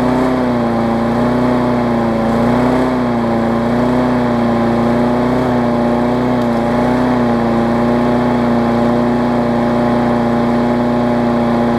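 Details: Craftsman 22-inch big wheel push mower, Briggs classic engine, 2008 (about 10 years old), after safety cable repair and carb linkage adjustment: steady high-pitched drone wavering slightly, running a little fast; owner thinks the spring is just warm.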